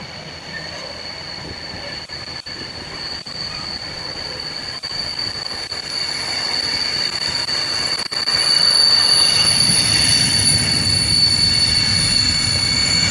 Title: Class 66 66599 Brake Squeal 463X Lawley Street F.L.T. to Felixstowe F.L.T. Ansley 15 January 2021